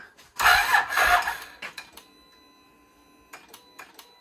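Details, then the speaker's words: Can-Am Renegade ATV project: short, sluggish crank dying into scattered clicks; starter starved by an uncharged battery (owner first suspected the switch), later swapped for a different battery. "switch is messing up no I think it's a battery yeah battery doesn't sound charge"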